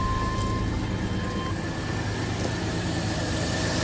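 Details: 1987 Chevy S10 2.8 L, reassembled after fixing a stall and no-start: it settles into a steady, even idle with a low, smooth rumble and no misses or knocks.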